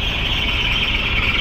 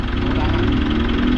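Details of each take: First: Mitsubishi Montero diesel at idle, 9,300 mileage: continuous high squeal, even with the A/C off, mistaken for the fan belt; the cause is a failing alternator clutch pulley. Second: Mitsubishi Montero diesel after replacing the alternator pulley, which was found to cause the supposed fan belt squeak: a smooth, steady idle with an even rumble and no squeal, chirp or rattle from the front drive.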